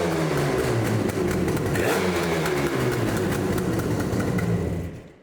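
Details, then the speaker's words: 1979 Yamaha RD400 Daytona Special two-stroke, first start on choke after freeing the seized brakes and reinstalling the carbs with no fuel leaks: starts on one kick with a crisp note that revs and settles evenly. Sounds healthy, on a 45°F day. "Choke on. Oh, so nice. That's one one kicker. Wow, she sounds so much better."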